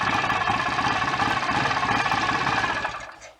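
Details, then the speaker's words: BSA A65 twin after engine rebuild with cylinder head refitted and ignition timing correct, on a bike lift: lumpy even twin-cylinder beat at brisk idle, no smoke, rattles or misses; normal idle. "the engine sounds good there's no smoke no rattles so it's all ready to come down off the bike lift and go for a test ride tomorrow hopefully all being well"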